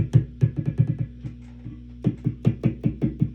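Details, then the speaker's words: Marshall JCM2000 DSL50 tube guitar amp, preamp tube being tapped: sharp, boomy thumps through the speaker with each tap, ringing briefly. Microphonic, failing preamp tube; replacing it removed the noise. "This guy is no longer a good tube. No longer healthy, no longer viable."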